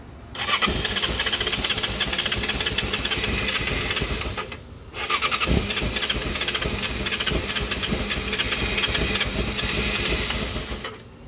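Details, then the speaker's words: 2006 Yamaha YZF-R6R, died before purchase: steady fast starter whir over two long cranks with no firing; cranks but won't start, suspected TPS sensor or possibly bad throttle bodies. "doesn't start and I'm not gonna start her again because then I'm gonna throw out the starter and we're gonna have to buy a new part"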